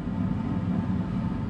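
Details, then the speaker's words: Full-size residential gas furnace on Bluetti EB3A power station, after hot surface igniter: steady, even low roar with no popping, surging or flutter; burners lit and firing normally, draw down to 76 W. "oh there it went oh that was why it was heating up so induced draft now the can you hear the the burners going in there"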